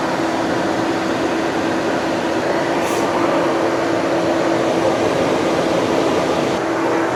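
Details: 2020 Tesla Model Y on the charger in a hot Arizona garage: steady loud rushing air roar with faint constant hum as the fan runs at high speed to cool the battery; overheating stops charging; radiator/condenser being cleaned of leaves.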